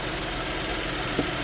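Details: 2010 Ford Edge 3.5L V6 idling after starter replacement and coolant refill, heater working; steady, even idle with a smooth low hum and no knocks or misses. Normal idle.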